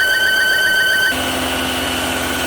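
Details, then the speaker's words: 2016 Volvo XC60 T5, lowered off the lift: steady idle whine, then revs abruptly jump to about 2,500–3,000 rpm and hang there, with a check engine light; sudden high idle surge of unknown cause (owner suspected a crank seal noise). "Alright, well that's weird. As I was letting it down, all of a sudden the RPMs just shot up. I don't know what they're at, like 3,000 maybe?"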